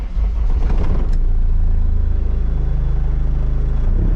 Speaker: What a success. Started first time.